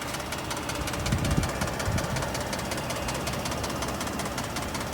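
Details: 2020 Ford F150 3.5 EcoBoost V6 at cold startup: a rapid, even ticking-knock running through the idle; the cause is unclear.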